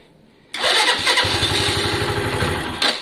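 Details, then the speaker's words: Lexmoto Valiant single, warming up on test; it died, battery very low, restarts into quick slightly uneven putter; owner to check battery voltage and charging, cause unconfirmed: stalling. "Saw me do the walk of shame there. It died. Very low on battery."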